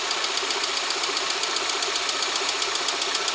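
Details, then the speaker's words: VAZ 124 16-valve engine (2110-12/Priora), hot, oil pressure about 2 bar idle, 3.5 revving, after head rebuild: sharp light ticking knock roughly twice a second that stops and returns intermittently; cause unconfirmed. "Все, перестал стучать. Вот что вот, блять, ему надо? То стучит, то не стучит, то стучит, то не стучит. Вот, опять где-то вдали. Опять начинает."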